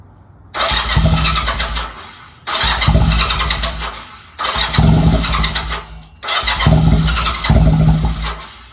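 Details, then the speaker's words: Honda Rebel 250 first start after sitting 27 years, choke fully up, neutral: four cranking bursts of about two seconds, spinning steadily but not catching; owner thinks fuel needs to reach the engine. "It wants to. I think there's needs to get some fuel around the car, but fuck, it's gonna start. It wants to."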